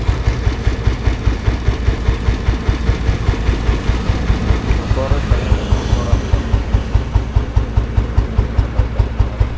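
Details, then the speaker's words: 1987 Royal Enfield Bullet fitted with a full-core silencer, idling: even, unhurried deep thump about two and a half beats a second, no knocks or rattles; sound is fine, healthy idle. "Sound ഉണ്ട് full core silencer ആണ് വെച്ചിക്കുന്നത്"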